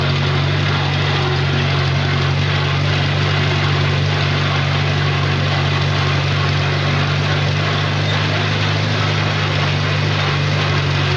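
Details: Farmall four-cylinder tractor running after starting on choke, needed a lot of oil and had oil pressure issues; steady low drone with slightly uneven beat, owner wonders if cylinder three is dead (oil, stuck rings suspected) but thinks all four fire: possible misfire.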